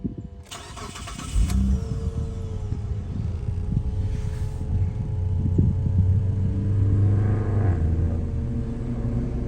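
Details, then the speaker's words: Mitsubishi Galant Ralliart 3.8 6G75 MIVEC V6, 200,000 miles, not yet cleaned, first start: starter cranks briefly, engine catches and settles into smooth, quiet, even idle with no knocks or ticks; normal cold start and idle. "not bad actually very quiet so that's good um for the mileage she's actually pretty uh well off"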